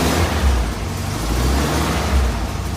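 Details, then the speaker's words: Volkswagen Thing air-cooled flat-four with manual transmission: deep, steady low rumble running evenly with no misses or knocks, a healthy purring run. "So yeah, let's start her up. You can hear this engine purr."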